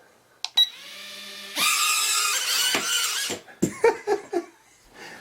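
A short, even, high-pitched buzz from the little motors spins up and holds steady before clattering stops; the motors sound healthy.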